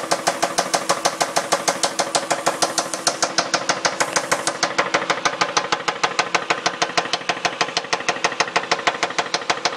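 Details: 2002 Dodge Intrepid RT 3.5, 60,000 miles, at idle: loud, sharp, very regular metallic knock about three times a second, like rocker noise, unchanged after new rocker shaft assemblies and timing belt; rod bearings next suspected, cause undetermined.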